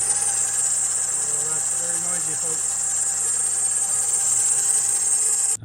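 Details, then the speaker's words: 2007 Honda CR-V, 262k miles, cold winter day around 26°F, idling: a loud, steady high-pitched squeal and whir over the engine from the power steering belt area; a pulley is suspected and to be replaced. "sounds like it's just a pulley. We'll just replace the pulley."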